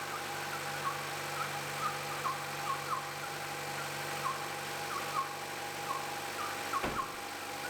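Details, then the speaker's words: 2014 Chevrolet Cruze LT/RS bought with engine damage, idling after an oil fill: quiet idle with sharp chirps about twice a second, first mistaken for a belt squeak, traced to the coil cover; number 3 spark plug was loose. "It sounds like some of the gerbils are trying to get out of our engine. First I thought it might be a belt that was squeaking, making a funny sound. I ended up isolating the noise to the cover that goes over the coils."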